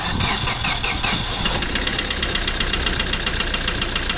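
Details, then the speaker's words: 2009 Hyundai i20 diesel with late starting: hard start then heavy rhythmic knocking clatter at idle, easing slightly once running; caused by worn number four cylinder and bent connecting rod, fixed by engine overhaul. "हमारे गाड़ी में जो आवाज ए रही थी knocking type जो आवाज थी हमारे इंजन में जो साउंड ए रहा था वह कर नंबर सिलेंडर होने की वजह से ही ए रहा था"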